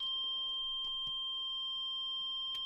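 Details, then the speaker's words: Hitachi TRK-8000E radio cassette mechanism, after the leaf switch blades were gently bent: clean, steady high continuity beep unbroken for nearly three seconds on play; switch contact now closing solidly. "this if we get a beep now this tells us that play is going to work when we actually put it back together again"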